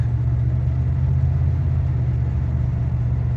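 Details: 1992 Dodge Dakota V8 on a test drive after a new Spicer U-joint was installed with its clips: a smooth, even low rumble with no clunks or vibration, the earlier noise from missing U-joint clips gone; the driveline sounds healthy.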